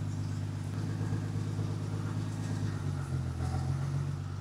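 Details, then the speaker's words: 1977 Ford F100, Ford 300 inline-six with FiTech EFI, idle AFR deliberately leaned to 15:1 from the preferred 13.6: low, uneven idle with a slight stumble and hunting beat; rough idle from lean mixture. "Let's like really lean it out so you can hear it more. This is 15 to one. Hear that? She's not happy."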